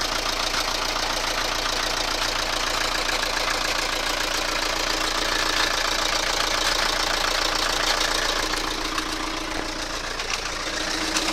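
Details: Toyota Carina engine at idle: a rapid, steady metallic tapping of about three or four knocks per second over the engine note, from the crankcase area; an internal metallic knock.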